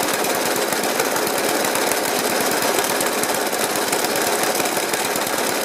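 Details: 1991-era Suffolk Punch 30S mower single-cylinder, carb cleaned and decoked, new spark plug: banging and stumbling unevenly at idle rather than ticking over smoothly; rough running, cause not evident.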